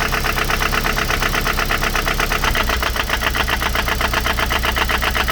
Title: mx5 nc 1.8 knocking sound